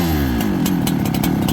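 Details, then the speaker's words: Farmertec 288 kit chainsaw after oil pump repair, during carb tuning with the jet turned richer: it burbles unevenly, sags and stumbles instead of settling into a clean idle. Running too rich, won't idle. "here it gets fatter it's more Rich doesn't want to idle"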